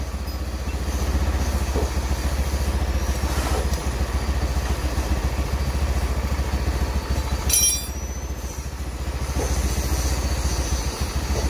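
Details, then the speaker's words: Honda Beat scooter after an overhaul for compression loss, stalling and oil consumption, with the combustion chamber cleaned and both valves lapped: an even, steady putter with no knocks or rattles; a smooth, healthy idle. "mesin sudah hidup bunyinya halus juga"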